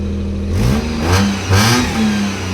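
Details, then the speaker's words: Used Maruti 800 (Euro 2) petrol car just after a self-start: the engine picks up cleanly on two quick blips and settles back to a steady, even idle; normal revving, seller says the car is in tip-top condition. "মাত শুনা পাইছে একদম ধুনীয়া হৈছে গাড়ী পূৰা tip top কণ্ডিশ্যনৰ গাড়ী হয় এখন"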